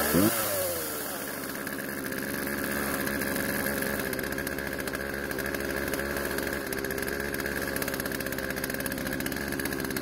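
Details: Poulan two-stroke chainsaw out of storage, after carb adjustment, chain tensioned and sharpened; steady even buzz with no surging or stumbling; idle speed needed adjusting to stop chain creep. Normal running.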